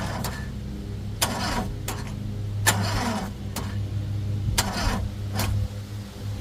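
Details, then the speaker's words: CRT23 Chinese mini skid steer, batteries fully charged: slow, labouring crank with heavy turns almost a second apart, as if short of power; owner suspects starter failure, not confirmed. "Let's just see how this starter reacts. That's kind of what I want you guys to listen to, because to me, the starter just doesn't sound like it's doing its thing proper."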